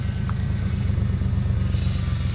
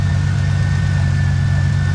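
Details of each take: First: 97 Mustang V6 after engine rebuild with replaced bent rod, dual Flowmaster exhaust: smooth deep burble that swells cleanly with a rev around four seconds and settles back, no knocks; normal running. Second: 1997 Mustang just rebuilt with bent rod replaced, first start: engine revved by hand with deep, uneven wobbling beat, no ticking, lifters quiet with oil pressure; seems to be running on six cylinders, spitting and sputtering; rough running.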